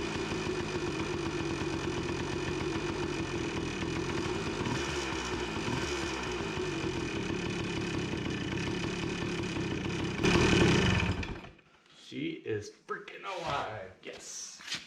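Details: 1993 Yamaha RT180 two-stroke trail bike, previously no spark and wouldn't start, first start after fuel system work with some fuel seeping; steady crackling two-stroke idle with a quick blip before cutting out, then handling noise; normal running.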